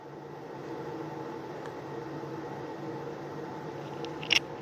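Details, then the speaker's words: Anycubic Kobra S1 Combo 3D printer, recorded about 2 ft away: soft steady airy hiss with faint hum from the power supply fan at the back, which cannot be turned off; normal idle fan noise. "Oh, and also if you hear that noise, right? If you hear that wind noise is the power supply back here."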